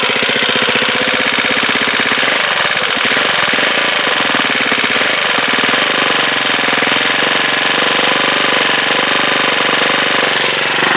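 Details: Huoniao HN125, freshly installed engine, first start: fast, even metallic ticking over the idle, a light chatter on every beat. Valve tappet rattle; the tappet clearances need adjusting despite being thought done.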